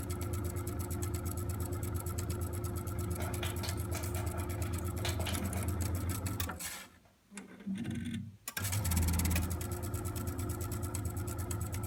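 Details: Eight-year-old Vaillant EcoTec Plus 824 boiler, water pressure good, sometimes makes a loud, rough motor drone with steady hum that briefly cuts out and restarts during central heating and hot water use; failing circulation pump, fixed by replacing the pump.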